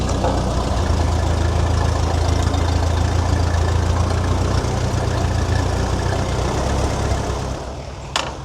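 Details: Tractor: steady, fast, deep drone that never settles to a slow idle; the governor seems seized and won't return to idle.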